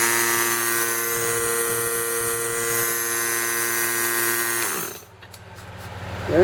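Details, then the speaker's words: Allegro 9832 S rotary vane breathing air compressor with a dented fan shroud and a sticking gauge needle (reaches 15 PSI): even, steady hum at a constant pitch, then a clean wind-down at shutoff; otherwise running fine. "So, other than that, it operates fine. We're fire it up again."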